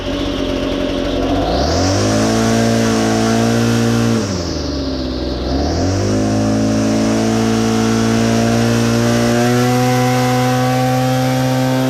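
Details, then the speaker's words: BL-110 saw, well used, after adjusting to cure throttle bog: revs up cleanly, drops and climbs back to a steady high scream with no bogging or hesitation; running normally. "sounds good real good"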